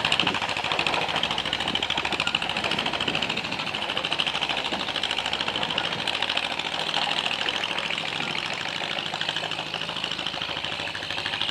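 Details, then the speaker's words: John Deere MC crawler running for the first time in a year after cleaning grungy points with 1500-grit sandpaper, fuel system gone through, new muffler and exhaust stack, ignition rebuilt except points and condenser: steady, even putter with quick light ticking, no misses, moving under its own power; normal running under load. "Well, she runs. She moves under her own power, and actually got over here next to the barn so I can continue to work on it."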